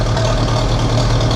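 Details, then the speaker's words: About 1947 Massey Ferguson TEA/T20 tractor, British Standard four-cylinder gas engine, after Zenith carburetor rebuild; running with no choke. Steady even low rumble, no misses or knocks, idle seems a little high; normal idle, slightly high. "Oh yeah. No choke. I mean, it seems a little high."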